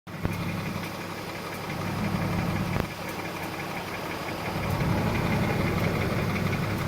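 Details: 2004 BMW 325Ci M54: even idle with light fast tick and sharper clicks from top of engine, passenger side; first thought rod knock, diagnosed as lifter/carrier noise.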